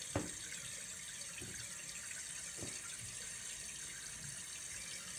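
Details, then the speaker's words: New float-type fill valve on a toilet, fitted with a new flapper to fix constant running, filling at full flow with a steady hiss and a few soft clicks; it fills fully then cuts off at once; normal. "this one you'll fill full flow all the way to the top and then just immediately cuts off"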